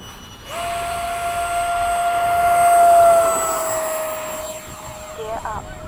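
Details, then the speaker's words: E-flite 80mm F-4 ducted fan RC jet with 2100kv motor: high steady whine with buzzy edge swelling with throttle; fan balancing came undone, noisier than before though still better than stock. "balanced it already but it came undone well it does to me because I'm a perfectionist but it really isn't that bad"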